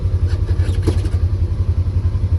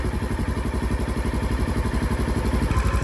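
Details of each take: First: Polaris Ranger 900XP side-by-side after repair, starting right up and being driven. Quick, even low thumping with no misses or clatter; it sounds much better and runs healthy, with coolant temperature being watched. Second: Polaris Ranger 900XP side-by-side that is very hard to start and has a loud motor noise. Compression was 125 psi on one cylinder and about 85–90 on the other. Even chugging at about four beats a second, slowly getting louder but never catching cleanly: a hard start.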